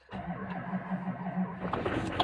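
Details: 2007 Chevy LBZ Duramax diesel pickup, 89,000 original miles, cold start at about 5°F after sitting about two weeks, only one good battery, one glow-plug cycle; brief cranking catches quickly into even steady diesel clatter with no stumbling; healthy cold start.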